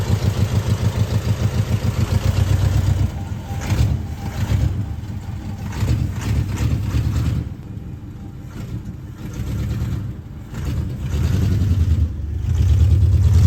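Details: 1973 Ford F100 at idle after new spark plugs and a timing adjustment; owner believes plug wires are needed. Uneven, lumpy idle sagging and surging with missing beats; misfire, cause suspected, not confirmed.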